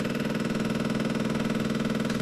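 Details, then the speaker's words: Beautural hand steamer, heating element warming but no steam; loud, rapid machine-gun-like rattle with steady buzz as the pump chatters dry without drawing water. Owner suspects the pump; pump not priming. "I can feel the heating element. It's getting warm. So, that's good. I think something's up with this pump, but I can't be certain on that."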